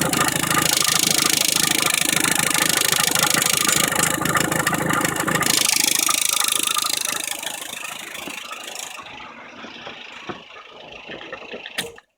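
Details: Engine with only about 20,000 km: fast, steady metallic rattle over the idle at about two or three per second, mostly at idle; failed timing belt tensioner, owner unsure whether he did something wrong.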